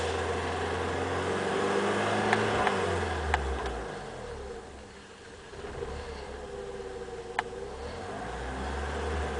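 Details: BMW E30 318i M40B18 stumbling at about 2000 rpm, occasionally: revs sag and stumble midway then recover; vacuum leak from a loose vacuum hose, fixed by replacing the rubber pipe.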